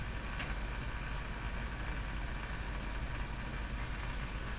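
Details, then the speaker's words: Silvertone 101-583-2 multiband tube radio with loop antenna missing, tuned to the low end of the band: steady hiss over low hum with no station received; the loop-antenna trimmer capacitor is to be checked, cause not confirmed. "I was just nothing at all being picked up um except that noise"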